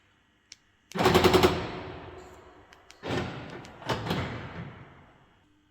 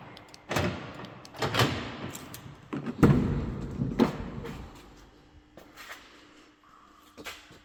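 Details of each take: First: Mercedes B-Class door lock: the door cover pushes the lock rod against the door so it binds. The actuator retries rapidly, giving a burst of about five sharp clicks and then more clattering bursts. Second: Mercedes B-Class door, lock rod had been binding because the door cover pressed it against the door. A few solid door thumps and latch clunks, each closing cleanly without bouncing back: lock latching properly.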